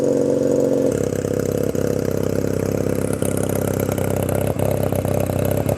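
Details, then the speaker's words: 1997 Honda Rebel 250, cold start on choke: cranks, catches within a second, then loud, uneven, lumpy idle; very cold-blooded, lots of vibration through the footpegs. "this egg does not it's like very uh cold-blooded a lot of vibration coming through the foot packs it doesn't feel that great"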